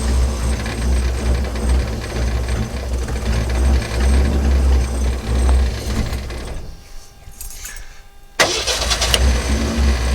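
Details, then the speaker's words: 1963½ Ford Falcon Futura, off the road 18 years, after a new rotor, distributor cap and battery, sat overnight: runs roughly, dies after about six seconds, restarts with a burst. Stumbling start. "so obviously she still has a little bit of a stumbling start up there we're gonna see if we can't clean that out"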